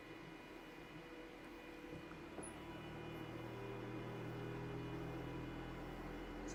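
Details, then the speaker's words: Voron V2.4r2 3D printer input shaper resonance test on the Y axis, noted as the extra noisy one with more mass causing a lot of jiggering; quiet steady hum with tones swelling through the sweep, a normal test run. "boom this is the extra noisy one because it's got more mass this is causing a lot of jiggering"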